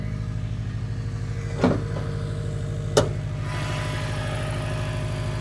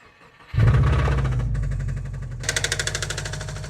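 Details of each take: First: Subaru WRX bought as blown, which drove up the trailer: even, steady low idle with a smooth pulse, no ticking or knocking, just a couple of stray clicks; owner surprised it does not sound blown; healthy. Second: Subaru WRX sedan started after a dead battery was on a charger for days: engine catches and runs rough with an irregular deep pounding under idle that never smooths out; owner calls the engine pretty blown, though the least blown of his WRXs; engine knock.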